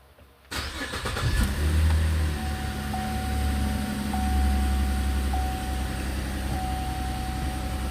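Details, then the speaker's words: 2012 Cadillac CTS after repair of a no-crank no-start fault: short crank, quick catch, brief flare, then smooth steady idle with no stumbling; starting and idle now normal. "um believe it or not, that fixed it. I can show you now. This thing would not crank at all the other day."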